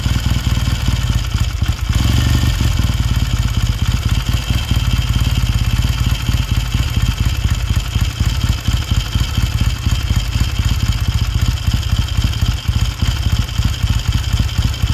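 Lumpy but steady twin-cylinder thump at a cold idle, with light valve clatter and no knocking; a healthy engine.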